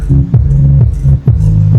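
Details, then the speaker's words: Live Shockwave SWA3000 power amplifier after repair of scratchy crackle, front panel refitted, driving a sub: heavy bass beat plays cleanly, steady pulses, no crackle or popping between hits; normal output, crackle gone. "Paganahin muna natin kung mawala na yung kalaskas niya. Okay. Ngayon ah wala na."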